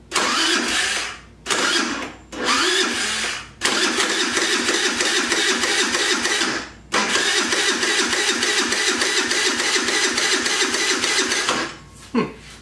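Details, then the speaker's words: Jin Lun 50cc scooter, supposedly a runner, powered by a car battery on thin jumper wires, no throttle cable fitted: bursts of fast, uneven starter whirring, the engine turning over without catching. "Key on. Yeah, we got tail light. And we got dash lights. See, we got crankage."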